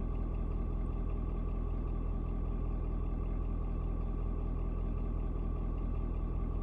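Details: Ford Super Duty 6.7 diesel (Platinum) cold start at 56 degrees: steady low rumble with light regular clatter, no misses or surges, after a small rpm drop (owner unsure if block heater); normal diesel idle.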